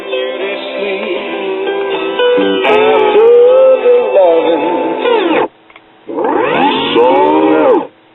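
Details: Crosley Stack-O-Matic CR-AT5 record player barely turning; music drifts sharp and flat then sags, unsteady platter speed and wow and flutter from a stretched, slipping, shot drive belt.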